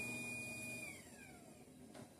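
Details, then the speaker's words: Garage door opener run from wall button with trolley disengaged: high motor whine runs then winds down with no drive or door-travel noise; motor runs but door stays put, fixed by re-engaging trolley. "The motor it's moving. You can hear the motor, but it won't close. It's not doing anything."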